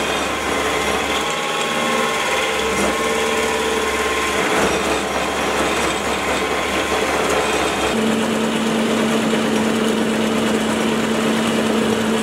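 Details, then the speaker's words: Small milling machine after stiffening plate added to back of column, same cuts as before; steady motor hum and cutting whine, pitch sagging under load, no chatter, much quieter, less vibration; normal milling cut. "the biggest difference is just how much quieter the mill is the vibrations have been cut down and I can push the mule a lot further than I could before"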